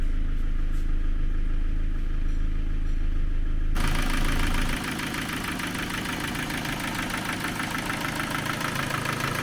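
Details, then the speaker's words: Ford Focus 2 engine just started, before valve adjustment: fast, even ticking clatter over the idle, about three per second, running very loud. Valves knocking from valve clearances found out of spec. "громко работает двигатель. Клапаны сильно стучат."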